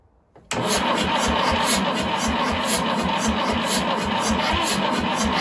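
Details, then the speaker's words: 1950s Fordson Major Diesel tractor, first start in 20 years after fuel system bled, fresh diesel and charged battery, in neutral with bit of throttle: slow regular cranking beat with a few sputters but no sustained firing; cranking without starting. "oh she's trying tiny bit of throttle baby [Music] she's trying give her a couple of pumps"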